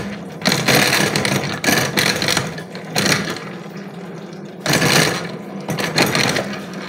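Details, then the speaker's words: Honda Beat carburettor scooter, wheel spun by engine in workshop: harsh rough grinding from the CVT surging with each throttle blip, louder with revs, bike likely unridable. "ya teman-teman Suaranya sangat terdengar kasar sekali ya"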